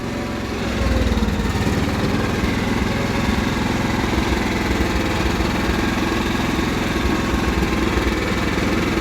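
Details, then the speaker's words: Cub Cadet 1330 mower engine running fast but wavering, with speed rising and dropping unevenly. It began surging suddenly, and the owner doubts it is out of gas. The owner suspects the throttle cable/linkage needs tightening; not confirmed. "it's starting to surge all of a sudden now maybe it's the throttle cable itself"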